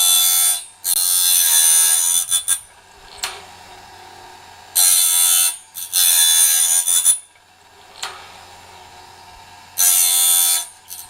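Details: Norwood BladeMate Pro band-blade sharpener, set up and cutting right: sharp, high-pitched grinding bursts repeating evenly about every five seconds with quiet gaps; indexing and dressing each tooth properly.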